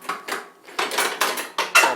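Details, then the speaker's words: Murray 42" Wide Body riding mower, yard-sale find unused for a year or two, hydrostatic drive: crisp metallic clicks, about eight in two seconds, as the gear selector lever drops positively into each position; shift linkage works normally. "positive clicks that means everything works on there"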